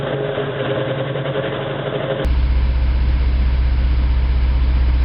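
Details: 1987 Toyota 4Runner, high mileage, reman engine, cold first-morning idle, still misfiring after 3 minutes: lumpy, uneven thumps about three a second; plugs fouled by coolant from a failed cheap head gasket and cracked aftermarket head.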